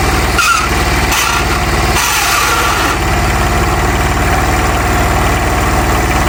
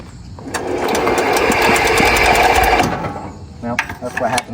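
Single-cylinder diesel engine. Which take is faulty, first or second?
second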